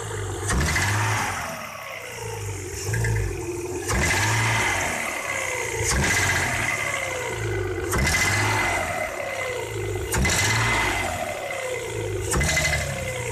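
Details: Audi 3.0 V6 BBJ, sharp knock on throttle blips and under load, vanishing when cylinder 1 coil or injector disconnected; persisted after rod bearings, rings and seals replaced: metallic ring fading as revs fall, caused by baffles broken loose inside exhaust manifold.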